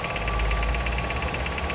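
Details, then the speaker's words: Nissan Sentra arriving from another shop, engine at idle: a quick, light rhythmic ticking rides over the steady idle every turn. Owner had already replaced the pulley with an original Nissan part, yet the noise persists; source unknown. "Nissan Centra, ó, já veio de outra oficina. Ó o barulho. Cliente falou que já trocou a polia,"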